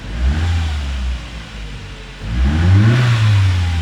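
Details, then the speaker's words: Ford Zetec Rocam engine (Fiesta/EcoSport/Ka), previously with chain slap and tappet noise on cold start: two quick throttle blips that rise and settle smoothly, no tapping or chain rattle; runs very smooth. "trabalhando muito macio muito bonito o funcionamento"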